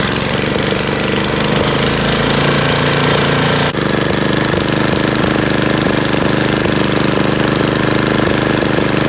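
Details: Honda tiller engine after cleaning a plugged idle air jet to cure surging at idle: small petrol engine now idles at a steady, even speed with no rise and fall in revs.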